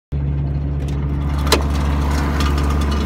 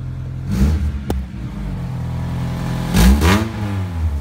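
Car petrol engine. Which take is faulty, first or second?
first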